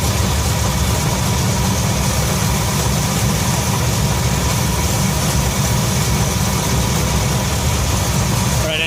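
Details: 1966 Ford F100 V8 shop truck at idle (about 700–750 rpm target), timing set with light: steady but high, hurried, hard busy tone as ignition timing is about 10 degrees too far advanced, before correcting to 10 degrees BTDC.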